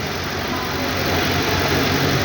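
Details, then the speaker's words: Suzuki Carry after the noisy alternator was replaced with a new one: steady, even engine running with no whine or chirp. Normal running; the earlier engine noise came from the alternator. "हे नवीन alternator आपण बसवून लावून चालू करून बघूला आहे बघा चालू केलेला आहे आवाज काही सुद्धा नाही"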